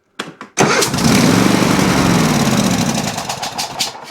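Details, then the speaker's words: Riding mower engine cranks briefly then starts instantly and runs steadily after choke linkage adjustment fixed no-start; owner suspects a blown head gasket from the sound. "Fires right up perfectly. And it runs pretty darn well for what it sounds like is a blown head gasket here anyway."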